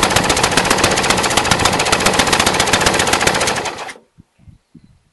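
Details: Brand-new Briggs & Stratton 450 lawn mower, under 2 hours' use: loud, sharp, fast uneven popping, then cuts out. Black smoke, sooty plug, throttle has no effect; smoother when tipped back. Rough idle, cause unknown.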